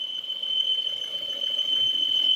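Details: Peugeot 408 engine with a steady piercing high whistle that sounds like a pulley bearing. The actual cause is a faulty breather valve in the valve cover, and the fix is replacing the cover.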